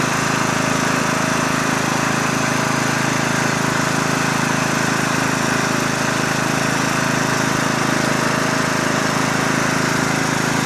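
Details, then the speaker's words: Lawn tractor, started before sale: steady, even single-cylinder chug at constant idle with no misses or knocks; normal running. "Sounds great. Good tractor, like I said."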